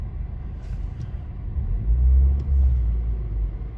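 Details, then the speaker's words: Buick Encore Ecotec, warmed up about 15 minutes after replacing both coolant temperature sensors (code P00B7, false overheat gauge, hard starting): low even rumble, steady idle, no knocks or ticks, seems a little more responsive; normal warm idle. "sounds a little more responsive maybe maybe it's just me but it definitely started right up"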